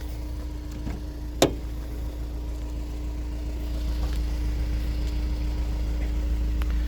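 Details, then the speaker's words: 2004 Honda S2000 with 109,000 km: steady, even idle with a low, constant hum and no knocks, misses or ticks; no smoke seen at startup; engine runs smooth, normal idle. "It seems to run pretty smooth. I don't hear any real issues. Didn't see any smoke or anything like that when we started it up."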